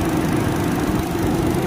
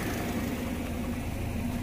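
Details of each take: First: Car at about 114,000 km, idling, after replacing the worn radiator fan motor: a smooth, steady whir with no wobble or rattle. Vibration is now very smooth compared with the severe shaking before. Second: Car at about 114,000 km, idling, with a worn front radiator fan motor: a steady hum with a fast pulsing wobble as the loose fan shakes. It risks the fan hitting the radiator fins and overheating, so the motor needs replacing.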